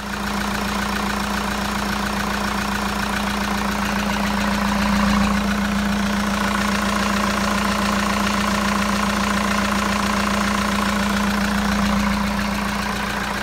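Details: Jeep Liberty diesel just after timing belt replacement and retensioning: even clatter at about 214 beats a minute over a steady low drone, no misses or knocks; healthy idle.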